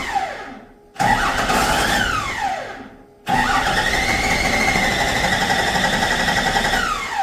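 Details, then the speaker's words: Ford truck with the 7.3 IDI removed and a P-pump Cummins installed, first test start: two cranking bursts that never catch because the fuel shutoff lever was sprung to off; it should be forward to run. "so I think I figured out what I did wrong this is a fuel shut off I had it spring sprung that way that's actually shut off it's supposed to be forward to run"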